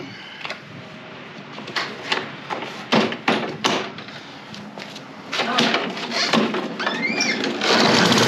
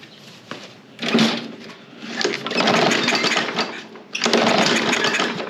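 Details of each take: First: Toro Recycler mower, Briggs and Stratton engine, final test after clearing jammed stick from drive and cleaning carburetor: one-pull start, settles into steady even drone with no misses or knocks; repair done, runs healthy. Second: Toro Recycler mower, Briggs and Stratton engine, won't fire on its own, started on starting fluid, air filter needs replacing: coughs, catches in surging bursts, sags and picks up, no steady note; carb clean probably needed (suspected).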